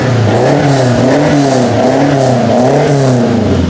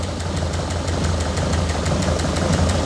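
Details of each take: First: 1967 Lotus Elan +2 starting after four years parked: three quick blips with clean rise and fall in pitch and audible induction noise, then a smooth even idle; running happily with no leaks. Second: 1967 Lotus Elan +2 idling after four years parked, oil change still due: uneven idle with a faint irregular stumble about twice a second; slight miss, owner thinks it always ran like this and expects an oil change and drive to settle it.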